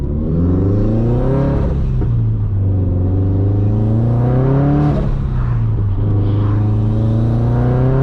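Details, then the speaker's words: Turbo Subaru BRZ with Turbosmart blow-off valve, backroad drive: under hard throttle the engine note swings up quickly then sags unevenly, more than road speed explains; the clutch is slipping pretty hard. "You can hear the clutch slipping pretty hard."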